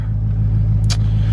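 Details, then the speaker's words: 2020 Duramax diesel in snow after unplugging the EGT probes that caused weird idle and smoke: a steady low rumble at about 800 rpm high idle (normal idle is around 600), with injection time around 1 and no hunting or knocks. Normal high idle. "But it's nice to see my high idles actually working. We're right around 800 RPMs. Normal idles around 600."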